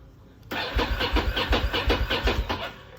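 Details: Ducati M750 ie, no start: steady starter cranking at roughly two and a half compressions per second, never catching; fuel pump not functioning, no buzzing when ignition key turned to ON, so fuel delivery is suspect.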